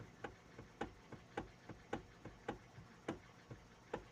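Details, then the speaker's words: Kia Cee'd 1 facelift: light, fairly regular knocks about twice a second in the steering column when the wheel is rocked slightly left and right, absent with the engine off; electric power steering coupling or its elastic spider is suspected. "в руле стук вот такой появился если услышно слышно будет вот чуть-чуть вправо влево делаешь"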